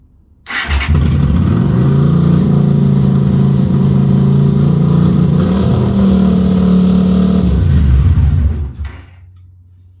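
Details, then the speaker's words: Honda GL400 Silverwing cafe racer twin, first start after the carburettors were rebuilt with new jets and adjusters. It fires straight up and holds a fast, steady idle without dropping back, so the idle speed is set a little too high. "think that's I had a l a little too high"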